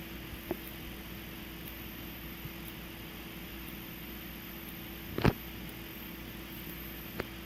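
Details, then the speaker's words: EST/Edwards Integrity 757-7A-T horn strobe, strobe-only test: faint steady capacitor charging buzz from the xenon strobe with sharp snaps as it fires, normal operation. "yeah you can hear the buzzing from the capacitor that's in this type of strobe this normal xenon strobe"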